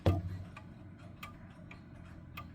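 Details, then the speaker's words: German box clock, movement just put back in its case, out of beat: sparse ticks in a quiet room, tick and tock unequal; to be set by gently pushing the crutch side to side. "it's out of beat."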